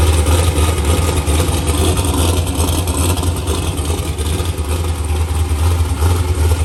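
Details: New LS-swapped forced-induction Mustang (TKM V8, Holley intake), tune still in progress: deep, steady, lumpy idle rumble with a firm, even beat, nothing knocking or rattling; running strong.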